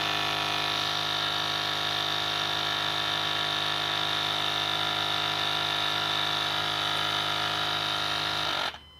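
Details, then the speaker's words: 6.4L truck 4WD vacuum system: the vacuum pump gives a high, steady electric whine that runs nonstop until a broken elbow fitting is plugged, then cuts out. It ran continuously from a leak suspected down one vacuum line. "you plug that immediately shut it off so it was running continuously because there's a leak somewhere for sure"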